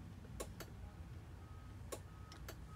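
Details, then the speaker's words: 2010 International Prostar: a few sharp irregular clicks over low cab hum as the relay pulls in when the brake pressure switch connector contacts are bridged with wire; faulty switch caused no brake lights and transmission issues. "if I connect right now you'll hear the clicking sound give me a second here"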